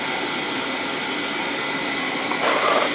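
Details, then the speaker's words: Old oil-fired boiler with no heat on the second floor, burner refired after air was left in the oil container: a steady hissing roar that swells briefly as air is bled from the oil line and flow improves; burner firing normally. "that's better now see the flow we're getting there now that's what we want i'm just getting the air out"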